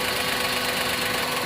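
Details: Maruti Suzuki WagonR K-series running on company-fitted CNG, code P0202 injector circuit open on cylinder 2: rough, uneven, hissy stumbling idle; cylinder 2 is dead because its injector wire is cut at the root and the pin is out.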